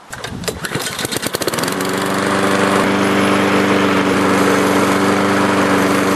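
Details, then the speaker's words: Self-propelled Craftsman lawnmower after drive belt (406580) and blade adapter (189179) replacement: pull-start catches quickly, steady even single-cylinder drone with no misses; runs good. Normal running. "So, as you can see, it runs good."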